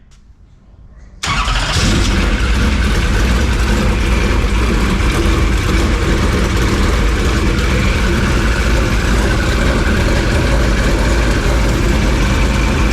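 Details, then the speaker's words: Super Late Model dirt racing engine after an engine swap, fuelled and first started: cranks and catches within a second, then settles into a strong, even idle with a steady lope; good oil pressure, no leaks, at temperature. "80 PB oh sounds good good thing you already de you say something all right hey sounds good good old pressure no leaks"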